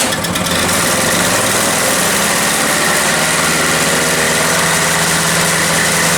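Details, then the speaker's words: Toro CCR 3000 GTS 5 hp two-stroke snow blower with a replacement aftermarket carburetor kit fitted: high, steady scream near 5,500 rpm on a tachometer that never drops to idle, throttle uncontrollable. Overrevving; the finding names the wrong carburetor. "when I had it running it was running way too fast it was running at like 5,500 RPM when I put my little tack on it so and I couldn't control it I couldn't get the RPMs down at all"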